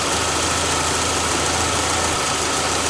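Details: Petrol engine idling smoothly and evenly with a steady hiss and no growl or rumble from the belt area, after replacing a rough belt pulley that caused a growl changing with engine speed.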